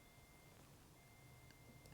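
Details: Hyundai i40 in reverse: faint, steady high-pitched bleep from the warning bleeper inside the car with a short break, over a quiet cabin; two rear parking sensors are faulty, one visibly corroded.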